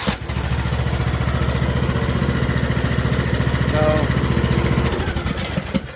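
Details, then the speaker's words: Craftsman LT2000 riding mower, 21 hp Briggs & Stratton, after a sudden no-start; contact magnet cleaned, spark plug replaced (threads cross-threaded), starter tested okay. Now fires right up and settles into an even, steady putter, running normally. "tested the starter that was okay and now she fires right up"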